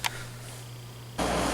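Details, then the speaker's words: GE ASV05LCS1 5,200 BTU kitchen window air conditioner, stored downstairs and tested fine a month or two earlier, first seemed dead (owner feared lost charge); after several on/off tries and rests, low hum then compressor kicks on into an even rushing run, working normally. "Okay, so it's working now."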